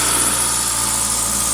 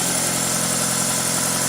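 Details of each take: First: 2000 Toyota Celica GTS, 2ZZ engine, warm at 90°C coolant, throttle cable disconnected: steady raised idle at 1800 RPM with a busy hum, apparently from extra air; idle air control valve later cleaned and adjusted. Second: 2000 Toyota Celica GTS, 2ZZ engine, after cleaning and adjusting the idle air control valve, warming up at about 54–65 °C: smooth, even hum idling a little fast at around 1300 RPM and dropping; healthy engine.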